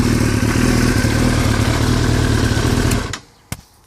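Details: 2003 Yamaha R6 after a trip to Europe: busy mechanical rattling clatter over the revving four-cylinder, stops as engine shuts off; owner unsure if normal, cause unclear.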